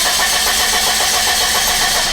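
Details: 1990 Nissan pickup no-start with the fuel pump, fuel lines and harness removed: loud, even cranking with brake cleaner misted into the intake, but it never fires; the engine spins with no fuel.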